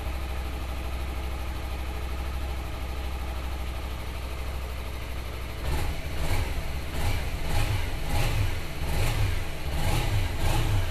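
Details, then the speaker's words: Suzuki Inazuma (GW250) twin at 15,608 km, low on fuel: a steady, even low idle, then quick throttle blips that rise and settle cleanly. Normal healthy idle. "Tuh teman-teman, langsamnya juga bagus ya."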